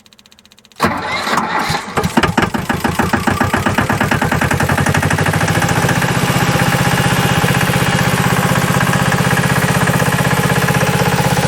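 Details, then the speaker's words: Cheap 4x4 diesel man-lift restarting after refuelling and bleeding the fuel system: about a second of labored, uneven cranking from a struggling starter before it catches and idles steadily; owner also concerned about a slight engine knock. "I'm really kind of concerned about this knocking sound we got that starter still isn't liking me either"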